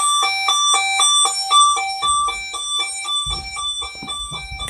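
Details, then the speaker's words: Burglar alarm panel in test mode, heard with the window open; a loud, clear two-note electronic chime repeats about twice a second and holds on; the internal sounder is working normally. "let's leave the window open so you can hear the sound it is quite loud"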